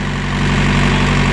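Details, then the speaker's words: Thermo King reefer unit on a trailer, started after the warning alarm with the setpoint changed from 18°C to 7°C: an even, steady diesel drone with a firm low hum and no knocks or misses. Normal running. "Vay kurban oldum. Vay ne güzel çalışıyor. Maşallah."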